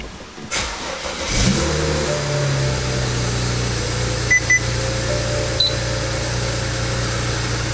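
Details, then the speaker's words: 2008 BMW 335i N54, after installing bucketless Walbro 450 LPH stage 2 fuel pump: cranks, catches, smooth even idle; no pump hum or whine from the back, as quiet as stock. "it's running great. For anyone wondering, I can't hear the pump at all. There's no noise from the back, no humming or anything like that, so it's just as quiet as a stock pump."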